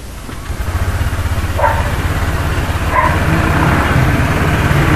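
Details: Honda Click 125i V3 scooter idling: loud, uneven low rumble pulsing about three times a second from the CVT belt drive, louder than when it first appeared; cause not yet found, CVT cover to be opened.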